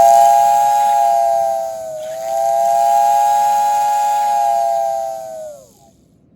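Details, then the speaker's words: American Flyer steam whistle billboard after repair with new brass and grommets and an oiled bushing. Clean, steady whistle over a smooth motor, one brief dip, then an even wind-down; running as it should. "it runs fantastic just like it should"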